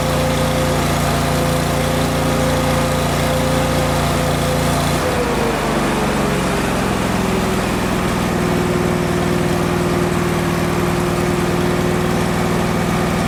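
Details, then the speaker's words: Miller Bobcat 225NT welder/generator Kohler engine, fully warmed up so fuel pump works properly: steady high speed then drops smoothly to an even low idle around five seconds; running really well. "okay so in the last clip you just saw the motor was actually running really well"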